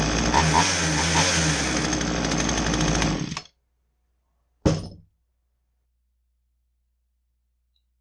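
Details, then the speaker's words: Poulan two-stroke chainsaw that wouldn't start, after removing and clearing the plugged exhaust/spark arrestor screen: buzzes strongly about three seconds, cuts off, then a short blip, revving freely; running properly after repair. "so it ran um in you know running great whatever it was a quick easy repair"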